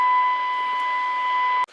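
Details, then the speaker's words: Zenith Transoceanic Royal D7000Y radio during repair and alignment, at 8.75 MHz after capacitor 114E is turned with a tuning wand: a steady, clean test tone holds for over a second and a half, then cuts off; the signal is now received. "so what we do is is just put our tuning wand on here and turn it until we start to pick up our signal and there we have it"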